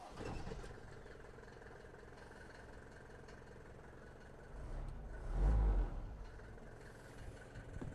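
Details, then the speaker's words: Abandoned Mercedes diesel van first start after sitting, power steering fluid added: low quiet rumble swelling then even idle without misses or knock; alternator charging, water pump turning, purring. "The alternator is charging. The water pump is going round. Let me go and pop the bonnet. Listen to that little beggar purr."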